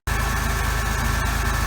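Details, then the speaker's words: Supercharged Pontiac 3800 V6 just jump-started, Borla exhaust, typical valve cover leak: steady smooth quiet idle with low rumble and supercharger whine, no knocks or misses; normal idle. "so I'm glad cuz I like the cover run smooth and quiet oh you can hear that supercharger"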